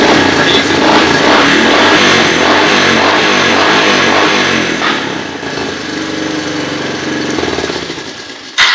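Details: Honda 300 FourTrax ATV with butchered wiring, engine revving with a metallic rattle of about 160 beats per minute; timing chain suspected but not confirmed.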